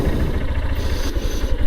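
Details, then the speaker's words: Motorcycle running with a rapid, evenly pulsing low clatter beneath the engine note. In low gear the knock seems to come from near the gears; cause unknown until serviced, and mileage has dropped. "বাইকটা একটা কটকট কটকট কটকট করে আওয়াজ আসছে। এই আওয়াজটা যে কিসের জন্য আসছে সেটা যতক্ষণ না সার্ভিসে দেবো ততক্ষণ বুঝতে পারছি না।"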